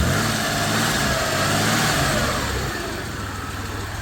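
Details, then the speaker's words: 1991 Dodge Caravan with transplanted 3.0 engine, warm with thermostat just opened, check engine light on: free rev picks up cleanly and settles smoothly with no stumble, miss or knock; earlier hesitation gone. "How's this thing rev up? That hesitation's gone."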